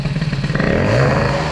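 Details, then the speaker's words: 103 moped with hybrid air-cooled Airsal 65 kit, 84 main jet fitted, idle checked before setting the screw: low, wet, sluggish burble when blipped, loading up instead of clearing crisply; idle mixture still too rich, owner considers a 40 idle jet. "Je suis encore trop riche en ralenti."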